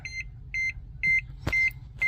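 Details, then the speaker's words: DA9 Acura Integra turbo project with Hondata connected: key on, engine off, fuel pump priming. A steady high warning chime repeats about twice a second, and the owner doesn't know why it sounds. "Man, that chime is going to get annoying."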